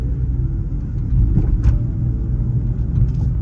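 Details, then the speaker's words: Toyota Supra MkV after new spark plugs and all six coil packs: deep, lumpy rumble with uneven stumbling at idle and pulling away; misfire persists, code shows cylinder 5 misfire. "It was still misfiring and it just really didn't sound good at all. Brought up the codes again and it showed to still have a misfire in cylinder 5."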